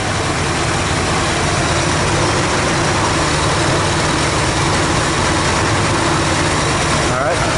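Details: Dodge D100 stepside V8 first started after about a decade of sitting, fuel tank emptied and oil in the cylinders; running on perhaps three cylinders, steady idle under a strong constant airy hiss; owner suspects a massive vacuum leak.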